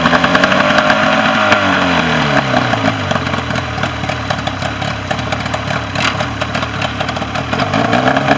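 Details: Mercury 40 hp outboard, previously a no-start, final running after repair: catches and settles into a steady, even beat around three pulses a second without misses; running normally.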